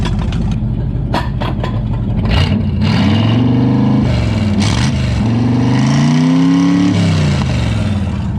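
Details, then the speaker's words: 1963 Chevy Impala wagon V8 parked about 20 years, after fixing two crossed wires and removing a cherry bomb muffler from one header: loud, deep rumble rising and falling cleanly with throttle blips, no misfire or rattle; still needs more timing. "okay now my neighbors definitely hate me but that sounds a lot better definitely need some more timing"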